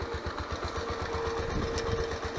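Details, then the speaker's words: Honda CBX125 Custom motorcycle starts instantly and idles nearly perfectly, but a steady low rumbly knock thumps about ten times a second. Owner fears a piston problem, possibly the cam chain or tensioner instead. Engine knock at idle, cause unconfirmed. "но вот этот звук не знаю слышно вам или нет урока вот этот рокот конечно он меня настораживать потому что я боюсь что это проблемы будут с поршнем"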